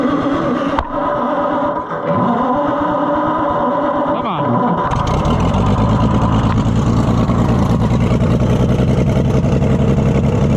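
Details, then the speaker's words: Oliver Super 77 tractor petrol engine, sat in a junkyard for years; catches after a stumbling start into an uneven, lumpy run with a wavering beat, poor carburetor partly to blame; worsening freeze plug leak, choke probably needs tying back. "this carburetor isn't the greatest either so that's part of our trouble not bad though for sitting in a junkyard for years"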